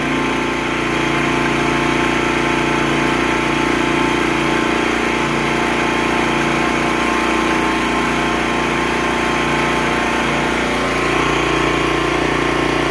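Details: Pressure washer single-cylinder gas engine that had locked up from fluid in the cylinder after a roll over, restarted after pulling the plug and clearing it: steady, even idle with no knocks or misses; some smoke is normal.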